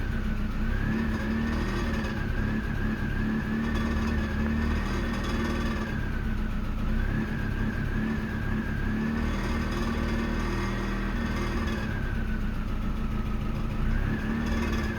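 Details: 1998 Mazda 323 idling in Park: steady idle with a faint whistle, revs sagging and recovering every few seconds; throttle body, IAC, MAF and distributor cap cleaned, in R/D idle drops from 1000 to 100–500 rpm; rough idle, cause unknown.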